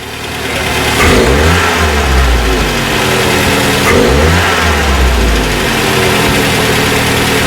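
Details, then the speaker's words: 1968 Commer 2500 van, last registered 1991, revived: engine blipped picks up and drops cleanly over a fast idle around 1,000–1,100 rpm, still high; big improvement, possibly slightly rich, muffler has a hole. "The idle is still high at the moment at about 1,000 or 1,100. But that's gunning it, that's a big improvement."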